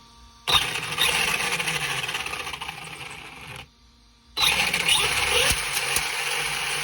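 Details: ARRMA Senton 2WD brushless motor and ESC on the bench after swapping motor wires and retrimming: high, even motor whine in two steady bursts, forward then reverse, no stutter or cogging; power system runs cleanly.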